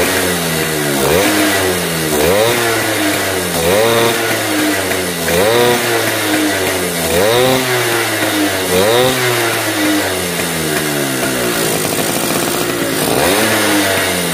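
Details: Yamaha V80 two-stroke after fixing compression leak at cylinder head (it popped at high throttle): blipped up and down about every 1.5 seconds, revs rising and falling cleanly; normal running after repair.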